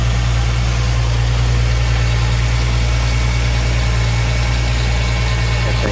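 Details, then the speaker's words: 2008 Ford Mustang first start after harmonic balancer and destroyed crankshaft sensor replaced (was no-spark no-start): deep even idle rumble with no misses, knocks or ticks; runs smoothly. "All right, we got it running."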